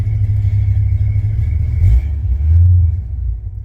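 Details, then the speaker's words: 1966 Chevy C10 body on a 1972 C10 frame, started for about the fourth time and warming up while backing out: loud, deep, open unmuffled V8 roar with no proper exhaust, only borrowed mufflers; a belt also squeaks. "I meant to tell you too that I don't have any exhaust on this truck."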